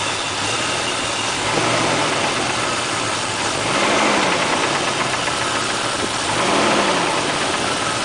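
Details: Toyota 1JZ-GTE engine swapped into a Supra a week earlier, unknown mileage, idling: rough uneven tapping about four per second with slowly rising and falling speed; bottom-end rod knock, owner suspects weak original oil pump giving low oil pressure at start-up.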